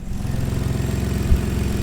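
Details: 2015 Ford Taurus Limited after replacing a serpentine belt that fell off: steady, even low idle with smooth regular pulse and no chirp or squeal; engine and new belt running normally.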